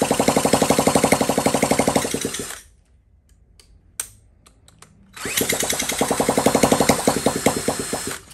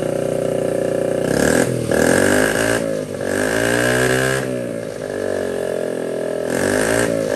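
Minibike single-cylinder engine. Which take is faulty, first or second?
first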